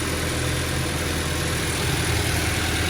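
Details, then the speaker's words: Boxer engine started during a basic service, checking for oil filter leaks: steady low burble, even hum, no knocks or misses; smooth, healthy idle. "Itu dia. Smooth."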